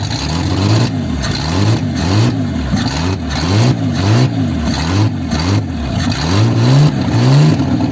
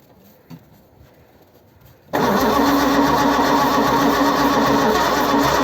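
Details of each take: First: 1955 Ford Zephyr six-cylinder, first runs after 46 years off the road: steady idle rising and falling smoothly with repeated throttle blips, even firing with no knocks, misses or heavy smoke; engine sounds healthy. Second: 1955 Ford Zephyr, 46 years off the road: near silence, then the engine catches and runs with an even, busy beat after tapping stuck valves free; long crank then start.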